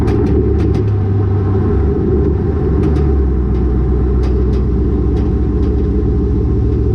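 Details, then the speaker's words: Car with a Borla catback exhaust and lowered rear coilovers, recorded by a GoPro underneath while driving. Steady road rumble broken by sharp metallic clacks on each bump as the exhaust slaps the rear axle. "I don't know if you guys could hear that, but that was the exhaust smacking on my axle every time I go over a little bump."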